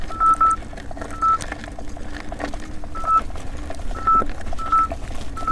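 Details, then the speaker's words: 84 V Nikola electric unicycle climbing a hill under stress test: short high beeps in uneven bursts over motor hum, each signalling about 90 A pulsed through the motor. The wheel later failed with blown MOSFETs. "every time you hear that that means there's ninety ninety amps as being pulsed through the motor and it's it's being stressed anyway"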